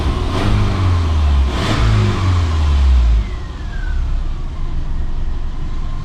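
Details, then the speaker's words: 2002 Subaru Forester after swapping the 2.5 SOHC for a 2.0 liter SOHC engine: two quick clean blips climb and fall smoothly, then a settled even idle with no knock or miss. Engine runs perfect, though a warning light keeps flashing and the owner suspects a temperature sensor. "Runs perfect. It really does."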